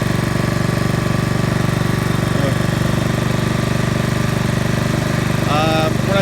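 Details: Trash-picked Honda Commercial HRC216HXA self-propelled mower, being left running to run out of gas: steady even single-cylinder beat at constant speed, no misses or surging; runs healthy.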